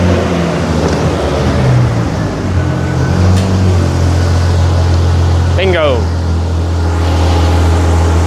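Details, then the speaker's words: Jeep engine after retightening gaskets, idling steadily at 800 rpm: even low hum with no knocks or ticks; runs the way it's supposed to sound, normal running. "that's the way it's supposed to sound also I don't know what's going on with this might have to fix that yeah idling steadily at 800"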